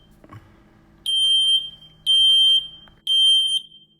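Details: 5-year-old smoke alarm with new 9 V battery after discharging it to stop chirping, test button pressed: three loud, shrill beeps about a second apart, a normal test tone.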